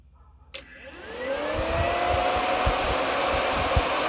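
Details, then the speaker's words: Transmission cooler fan wired through a 185-degree switch relay, here triggered by grounding the wire directly: relay click, then the fan spins up to a steady airy whoosh with no rubbing or rattle; normal operation. "kicks our fan on you can hear the relay in there you can hear the relay"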